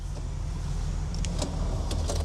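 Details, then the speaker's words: Audi S5 window that sometimes won't go down or fully up: a low, strained motor drone with clicks and rasps, a grinding failing window regulator with frayed cables. "Oh. Oh, yeah. That is a regulator. You can hear it grinding, can't you? It's the cables that will all be frayed."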